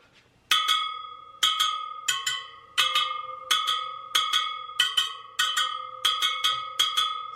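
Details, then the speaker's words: Sur Ron Light Bee supermoto front wheel on a stand, spokes plucked to check tension: most ring bright and metallic, but one gives a dull, dead ping even when pulled away from its neighbour, so that spoke is loose and needs tightening. "see how that one sounds kind of dead it's not making that much of a pinging sound maybe if i let's pull the spoke away a little bit no it still sounds kind of dead so i'm going to tighten that"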